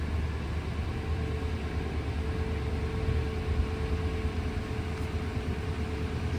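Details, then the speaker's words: 2000 Ford F-150 with 5.4 Triton V8 after new spark plugs and coil packs, battery disconnected, just started: even, steady low idle with smooth regular pulse, no misses or ticking; normal idle, though a fuel rail leak was then found. "Sounds like we're running pretty good. Let's have a listen up under here. sounds pretty smooth."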